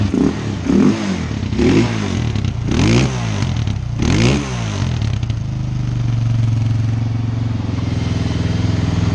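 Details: Suzuki LTZ 400 single after a tune-up, battery at 12.7 V, fuel tank off, running in the shop without load: a few throttle blips, then a steady, even low thump with no misses or hunting; normal idle.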